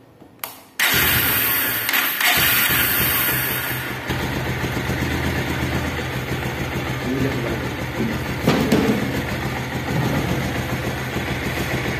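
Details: Bajaj Pulsar motorcycle after scissor/balancer gear modification for engine and timing chain noise: engine fires at once, steady even idle with no chain rattle.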